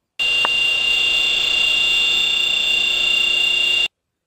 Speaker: whine often accepted as normal comes from the variable frequency drive controlled motor where the bearings had become fluted this motor is on path towards premature bearing failure